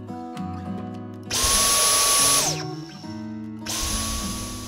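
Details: Dyson V10 Fluffy+ cordless vacuum after fitting a compatible replacement filter; earlier surging and pipe-blockage lamp flashing was caused by a damp washed filter; high steady motor whine holds evenly, winds down and restarts cleanly, healthy.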